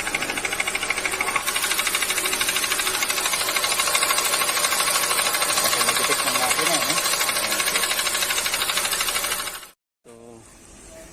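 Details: Toyota Yaris 1NR petrol engine, overheating, with piston slap: a steady, hollow knock about three times a second.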